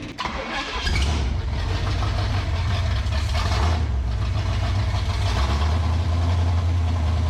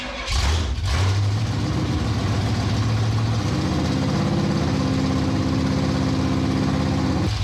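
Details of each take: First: 1967 Pontiac Firebird open-header V8, sitting for years, with the fuel pump lines corrected and idle turned up: an unsteady, stumbling idle with irregular pops, yet it revs and runs well; rough idle, owner doubts the carburetor. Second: 1967 Pontiac Firebird V8 after decades sitting, timing reset near 12°, new plugs and plug wires: firm, even idle with no stumbles or misses, misfire gone; distributor cap likely earlier problem.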